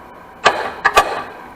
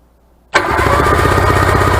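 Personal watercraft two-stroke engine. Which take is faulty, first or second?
first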